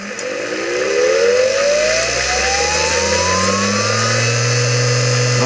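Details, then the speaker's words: SBL-40 rotary inverter from a 1960s Nanchang CJ6A trainer, 24 VDC motor driving a 3-phase magnet generator for 36 VAC 400 Hz, after repair. The whine spins up over about two seconds, then holds one steady pitch, rock-solid speed: normal running. "the motor amazingly uh keeps it steady speed it's rock solid it's amazing being this old"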